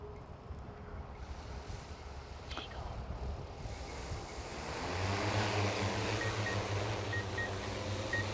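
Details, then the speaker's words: DJI M300 RTK drone with H20T on takeoff: rotor roar builds, then faint high beeps about once a second as the downward obstacle-avoidance and landing sensors warn it is too close to the ground. "if you can hear it you have beeping going on which lets the bottom sensors of the obstacle avoidance and the landing system all of that actually set up to warn us when it comes down to that desired amount of you're too close to something"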